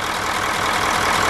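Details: Smooth-running 9-liter diesel bus engine at steady idle after valve adjustment: even clatter, no thump or skipped beat, running like a sewing machine; valves well set, normal idle.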